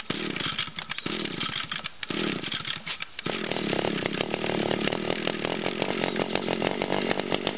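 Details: 2002 Echo SRM 2400SB two-stroke trimmer, cold start with choke on and five primes, needing a few more pulls than expected: a few sputtering catches, then a steady, even buzzing run. It starts and runs healthy.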